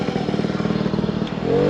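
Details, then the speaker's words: Puch Maxi two-stroke moped, running after 14 years unused, at speed up to 46 km/h: even, steady buzz with pitch climbing as it pulls; clean, healthy running. "Well, lads, 46 km/h on a Puch Maxi that didn't run for 14 years unbelievable. And it's doing really, really well."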